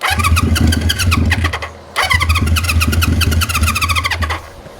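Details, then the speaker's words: 1973 Honda CB350 Four with new condensers: ragged firing on starting fluid, stumbling out near two seconds, refiring briefly and fading; carburetors not yet cleaned, owner suspects clogged; runs briefly on starting fluid then dies. "I don't know about you guys but that sounds like it's running I mean it made a little bit of noise"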